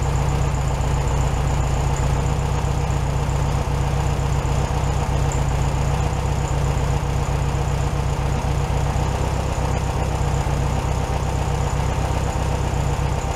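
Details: 1967 VW Beetle 1500cc, warmed up after carburetor refitted on a new base gasket: a steady, even idle with a smooth low rumble, no stumbles or hunting, just a touch high. Normal idle.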